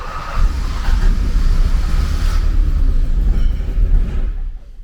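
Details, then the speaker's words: 1979 Porsche 924 after fuel delivery repairs, a new accumulator, fixed fuel lines, a cleaned cold start valve, a checked fuel distributor and cleaned spark plugs: a deep rumble as it cranks and runs for a few seconds, then fades and dies. The engine still won't keep running. "actually ran for a minute hey"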